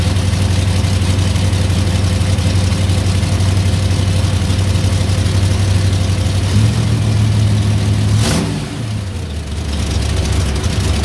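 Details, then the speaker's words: Ford 302 V8 swapped into a 1987 Ram D50, after new MSD ignition, new carb, valve cover gaskets and corrected firing order; deep burble with sharp puffing tick riding firing pulses, quickening on blips: exhaust leak at a V-band clamp that can't be tightened further. "you can still hear it's got a pretty good exhaust leak right there one of the v-bands and i can't get it any tighter i'm worried i'm gonna break it so it's just in a bind and it's not in very good shape"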